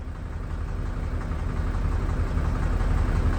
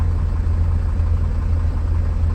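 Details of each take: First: 1999 Mercedes Vario 612D truck, 12V air compressor overrunning past its 12 bar (about 174 psi) cutout toward 190 psi: a low, steady pumping thump that keeps going and rises slightly. The cutout pressure switch tested as failed, stuck closed, and was replaced. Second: 1999 Mercedes Vario 612D truck, 12V air compressor after fitting a new pressure switch (12 bar cut-out): a steady low, even rumble under the engine note as the compressor cuts in normally once the handbrake is cycled.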